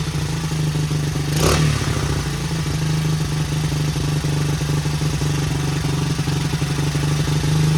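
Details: 1977 Honda XL75 single, first start without a carb clean, running with choke on: steady, even low beat with one quick blip, holds idle well; runs pretty good, not smoking, seepage around float bowl.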